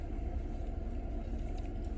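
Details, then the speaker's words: Toyota Camry V6 (2008 or 2009) that had idle vibration and a cylinder 6 misfire, after the cylinder 6 coil was replaced: steady, low idle rumble with an even beat; smooth, no shaking or misfire counts. "you guys can see now it's a perfect no shaking whatsoever the car is running smooth"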